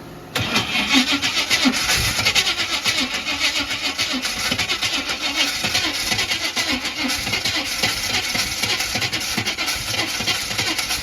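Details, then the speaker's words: Buick Regal cranking steadily for about ten seconds on race gas poured in but never firing; cranks but will not start, fuel pump flooding with far too much fuel. "So earlier when I was trying to fire it up, it was just, there it is, see? It's just pouring fuel. It is, that is way too much fuel, dog."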